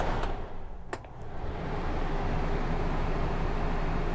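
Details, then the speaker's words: 13,000 BTU bedroom air conditioner on low cool, powered by an Energizer PPS2000 power station drawing just under 1500 W. A brief thump, then a steady low hum and fan rush as the compressor runs normally. "And I don't believe it. It is actually working. I can hear the compressor running. It is actually working on low cool."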